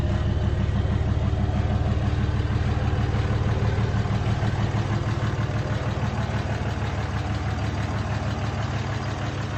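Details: Replacement short block in a 2003 Cummins 5.9 diesel, a 3500 single-cab dually 6-speed reportedly run out of oil, freshly test-fired: deep, steady clatter about three beats a second, no misfire or knock; healthy idle.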